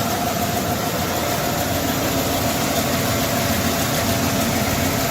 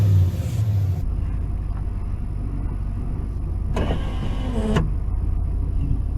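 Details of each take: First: 1992 Ford F-150 4x4 302 V8, sat 10 years, old gas drained and fresh fuel added, old plugs and wires: steady idle with uneven stumbling, loping beat; rough idle, cause unconfirmed. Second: 1992 Ford F-150 4x4 302 V8 revived after sitting 10 years, with old gas, bad tank, water pump bolts repaired and a vacuum line reattached: deep steady rumble, even beat, no knocks or misses; runs healthy.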